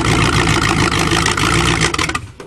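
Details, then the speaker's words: Car revived after standing 7 months with water in the engine, which is almost seized, on choke and blowing black smoke: it catches quickly and runs with a busy, even clatter before cutting off; it starts readily. "haha we always need a little bit of chuggy choke on so it's fireing black"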